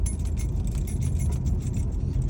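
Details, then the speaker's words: Mercedes 680 on rough, irregular pavement: light metallic jingling over heavy road rumble. The customer complained of a dashboard noise, which turned out to be a keychain knocking against the ignition key. "Chaveiro aqui ó, começou a chavear na outra cá Aí, ó o barulho que apresenta"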